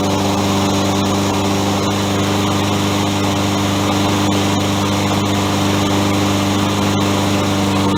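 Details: Toro 20374 self-propelled mower after replacing plastic-gear rear drive wheels with metal-gear wheels (137-4835) and new pinions, previous grinding gone; constant even single-cylinder drone with no grinding or clicking; normal running.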